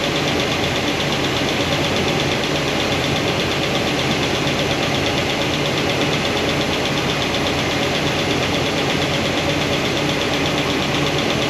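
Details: Valve train exposed at idle on a new hydraulic roller cam and lifter combo: quick, light tick from number 7 exhaust returns after poly lock adjustment. That lifter shows little oil flow; solid roller lifters planned.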